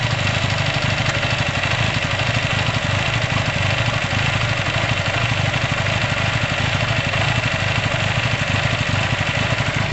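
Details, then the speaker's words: Motorcycle just after carburettor work, revs idling quite high: fast, busy idle with uneven stumbling beat breaking up now and then; intermittent splutter, owner suspects a loose retaining clip, cause unconfirmed. "i've just done the carb work there might be it's a bit of a a splutter i don't know if i can show you because i think the revs are up quite high you hear that kind of splutter"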